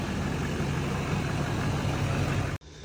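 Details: L5P diesel after installing a Calibrated Power 64mm turbo: even idle with low steady rumble, no whistle, knock or surge before cutting off; no check engine lights, nothing spraying, coolant a little low. Normal idle.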